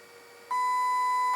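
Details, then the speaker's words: Bose 1800 dual-channel solid-state power amplifier (mid-1970s) after replacing diodes CR18, CR19 and CR5: relay engages, but a 1 kHz test tone comes out harsh and buzzy with half the waveform missing; failed diode, not yet fixed. "all right first of all we're going to turn it on no explosions relay engages we are on and we have a half signal"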